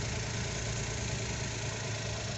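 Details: Suzuki Every wagon (Japan assembled) with check engine codes P0300/P0302, steady idle with faint uneven stumbling beat; cylinder misfire traced to dirty injector wiring connector, to be cleaned and refitted.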